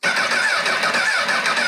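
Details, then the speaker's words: Rebuilt wrecked 2006 Honda CBR1000RR, first start attempt: steady starter whirr nearly two seconds, no firing; cranks with kill switch on or off, suspected wiring, bank angle/tilt sensor or fuel pump fault. "Well, all right. Well, there you have it, everybody. Can't get it to fire up right now."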